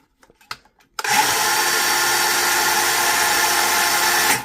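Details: Brushed power saw test run on battery after fitting replacement brushes: motor spins up cleanly to a steady, even high whine and holds it without stutter or grinding; runs healthy after the repair.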